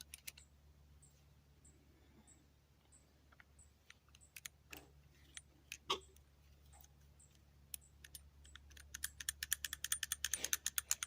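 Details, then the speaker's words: Carburetor from a free 1985 EZ-GO golf cart, possibly run without mixed fuel: light metallic clicks turning into a quick rattle from the loose orifice tube inside, showing a carburetor problem. "can you guys hear that that rattle that's that orifice tube rattling so we definitely have a carburetor problem"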